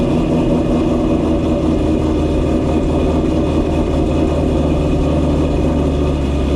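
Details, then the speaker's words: Ford GT500 supercharged V8 back home after a long road trip, with a vibration and rattle found and fixed: deep, steady, loping burble with an even beat and no ticks or knocks, a healthy idle. "Chopping good, sounds good. Pretty stoked about how this whole thing is working out. Just a damn good sounding car, you know what I mean?"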